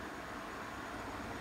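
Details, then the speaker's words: Scythe Slipstream (Kaze Junior) 1600 RPM fan, many thin steep blades, at full speed: soft steady rush of wind noise, no ticking, rattling or bearing growl; healthy fan moving plenty of air. "but at this point you can start to hear the wind noise but it's nothing knowing is just wind noise and the airflow is quite a lot already at the speed"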